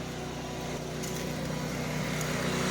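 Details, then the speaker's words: Onan MicroQuiet 4000 RV generator with microwave and AC on, heard from outside: uneven, wavering drone, running a little rough then leveling out somewhat, as it has lately. Rough running and surging. "a little rough. Now it leveled out a little bit. That's kind of what it's been doing lately."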